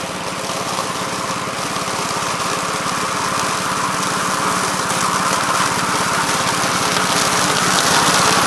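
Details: 1969 Gravely C8 tractor, morning run after no-high-range repair: steady, even single-cylinder putter building slightly in speed, no knocks, misses or rattles. Running healthy.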